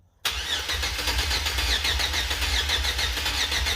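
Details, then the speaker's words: 2005 Chevy Express 4.3 L, crank-no-start, after distributor cap, rotor and plug-wire order rework: starter turns steadily about four beats a second, engine trying to catch; extended cranking before it finally started. "now you can see it's trying to start so now if I run the battery out so yeah let's keep going"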